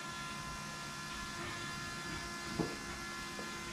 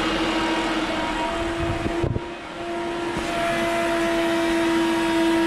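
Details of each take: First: Shelby Cobra replica with a 2003 Mustang GT 4.6 V8, after fixing poor fuel flow from the tank, key-on from zero pressure: the electric pump hums and whines immediately and holds steady, reaching 10 psi. Normal priming. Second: Electric fuel pump on a Shelby Cobra replica with 2003 Mustang GT 4.6 V8 whines loudly at one steady pitch; not enough flow from the tank, clogged pickup tube or rollover valve suspected.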